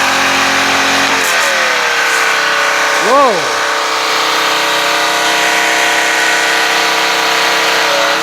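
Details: Pressure washer small engine after a new brass hose fitting, water on: steady high-pitched scream that dips briefly and climbs back; RPMs far too high, with the governor spring linkage under the top cover to be adjusted.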